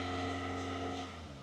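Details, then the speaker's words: 2004 Toyota Corolla 1.8 L with check engine light, warm: steady fast hum idling near 2,000 RPM, not settling down; idle too high, mechanic suspects a large vacuum leak. "Well, I mean, right now it's idling at 2,000 RPM almost, which is not good. And it should have idled down by now."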